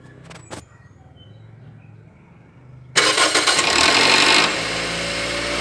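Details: Toyota Altis 1.6 SR Cruisetronic petrol engine at cold start: a harsh metallic rattle that fades into a steadier idle.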